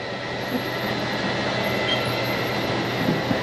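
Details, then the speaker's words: RV rear 5-foot slide-out extending after leveling: steady strained motor drone with gear whir, loud but normal. Keep running it until the motor sounds tired, then let go. "And you're gonna wanna run this till it sounds like it's tired. It's gonna run and run and go, wah, till you listen."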